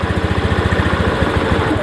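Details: Honda Beat ESP fuel-injected scooter whose wiring short was recently repaired: small single-cylinder idle with even, quick firing pulses about eight per second that don't change as the idle air screw is turned out to its stop; idle unresponsive to air screw.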